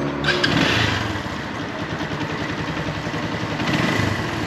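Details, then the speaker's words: Keeway Cafe Racer 152 single, about 19 months old, idling: light uneven metallic chatter, three or four ticks per second, likely from a slack timing chain or tensioner; the tensioner was replaced for this noise. "parang meron timing chain. Sa timing chain o tensioner."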